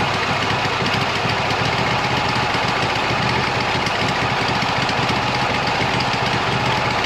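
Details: 26 HP Kohler V-twin lawn tractor with two cheap aftermarket ignition coils fitted, cold start. It kicks back, runs very rich with a harsh, rattling, ragged roar and no steady beat, sputtering at full throttle and not smooth at high RPM. Ignition coils suspected.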